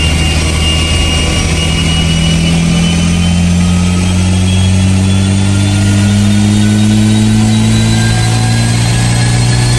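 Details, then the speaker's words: Mitsubishi Evo X on flex fuel with a Garrett 3576R turbo, switching between 93 and E85: engine note climbs smoothly as revs rise under acceleration, clean pull without misses or knocks; healthy, though boost is limited. "the car ran good like it's running healthy it sounds healthy"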